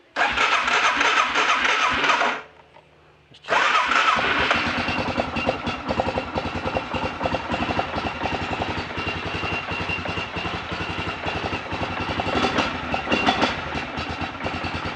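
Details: ATV after fixing a leaking carburetor valve seat, pilot screw not yet adjusted: engine cranks, pauses, then fires and settles into a quick, slightly busy idle without stalling; starts and runs normally, no fuel leak.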